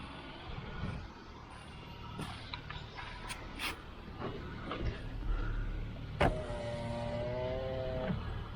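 Steady motor hum of an electric window running smoothly over a low idling engine, ending in a soft stop click.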